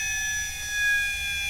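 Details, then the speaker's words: Standard 50 Hz induction motor overdriven by a variable-speed drive to 400 Hz in field weakening: high, thin whine with wavering pitch as the motor runs short of torque, slows and loses synchronism, then stalls. "Now we're at 400 Hz and you can hear the motor slowing down. Can hear it desynchroniz in there."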